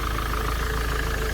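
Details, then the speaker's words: 2007 Ford Transit diesel after new belt fitted, customer had said it sounded ready to explode: steady, even idle with smooth low rumble, no banging or knocking; battery light off, power steering working, repair finished and it sounds good. "doesn't matter um so there we go we are all done it sounds good"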